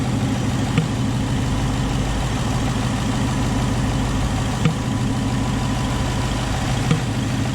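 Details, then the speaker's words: Tuned (Lund 93-octane tune, since removed) 2019 Ford Mustang GT V8 at idle with sharp single pops every few seconds: the little motor in the electronic throttle body was sticking; Ford replaced the throttle body under warranty (TSB issue). "something in the little motor in the throttle body was getting stuck and it was creating a popping sound"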